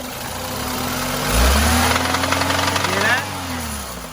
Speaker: okay we have an engine here that has an engine knock on the throttle go ahead